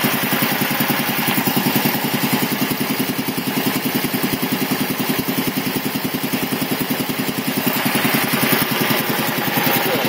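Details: 1975 Quincy QR 325 compressor, pump #325 ROC 10, now on a GE 5HP single-phase motor with a smaller pulley, pump at 621 rpm, building pressure; quick, even pumping pulses at a steady rate with no knocks or misses. Normal running.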